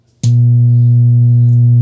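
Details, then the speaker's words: Wordstar WBL 160 Plus active speaker: right at amplifier switch-on a loud, steady low-frequency drone comes from the speaker with no signal, indicating the amplifier's sound outputs are shorted, a shorted output IC. "nós podemos ouvir um som em baixa frequência emitido pelo alto-falante eu vou deixar ligar o amplificador e assim podemos deduzir que as saídas de som do amplificador estão em curto"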